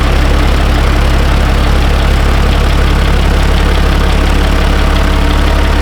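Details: Peterbilt 379 heavy diesel just after fitting a new fuel shutoff solenoid: settles into a steady, even idle with a strong low rumble and regular firing, running smoothly and healthy.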